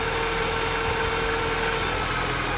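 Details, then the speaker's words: Mini Cooper S R50/R53 idling with a wire unplugged: a steady airy whoosh with a thin fan tone that drops partway as a connector is disconnected. The coolant fan keeps running constantly; owner suspects an AC pressure sensor fault. "so maybe you can hear the blower I mean the uh the coolant fan it's going there high speed"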